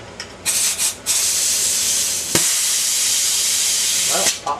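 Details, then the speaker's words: T80 air compressor with about 50 lb of pressure, a few short spits then a loud steady two-second hiss as the pop-off valve relieves pressure: safety valve venting normally. "pop off off and it moves see it moved Now it worked and pop off Works cuz it popped off too"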